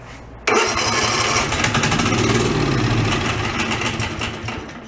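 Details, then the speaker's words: DR field and brush mower, unused since 2009 and oil filled, catches and runs rough with a loose metallic clatter over an uneven beat; the clanky sound could be the clutch, source unclear. "a little clanky. It could be clutch or something that's in there."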